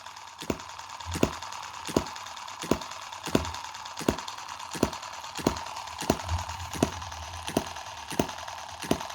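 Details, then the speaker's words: Tiny Chinese M17 4-stroke gas hit-and-miss model engine, oiled and with no water in the hopper: sharp single firing ticks about every 0.7 seconds over a light whir, evenly spaced, with a drop of oil out of the exhaust. Normal hit-and-miss running. "but what a what a great little engine for a kid I mean you can get it running this well"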